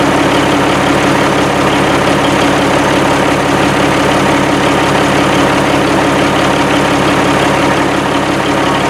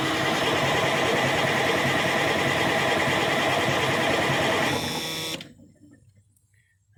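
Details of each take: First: 1987 Kenworth T600 3406B diesel idling at its first start after over 20 years sitting in a field: deep, steady idle with an even pulse and no misses or knocking; it runs and sounds good with excellent oil pressure. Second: 1987 Kenworth T600 3406B diesel, sat 20+ years: steady fast cranking with no start and only minimal fuel, probably just what was in the filter; the fuel system needs better priming.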